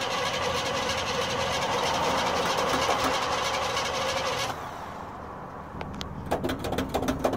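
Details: 1970 Chevy C10 in December 2016: starter churns steadily at about three beats a second for several seconds, engine never fires, then cranking stops; cranks but won't start.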